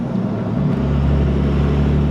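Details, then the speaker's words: Second-gen Cummins diesel truck with freshly rebuilt NV5600 six-speed manual and dual-disc clutch, first drive after rebuild: smooth steady low drone on the road, no grinding or whine, gears easy to find; normal transmission operation. "transmission super smooth no grinding whatsoever I can find the gears pretty pretty easy"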